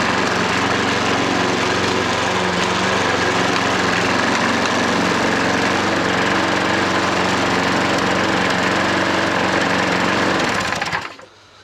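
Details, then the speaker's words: Hayter 43 lawnmower running after hydrolock cleared, oil overfilled; steady even fast beat, no misfires or knocking until switched off; started well, barely smoked, only slight exhaust smoke. "No, I didn't expect that to start like, as well as that. It ain't really smoked either."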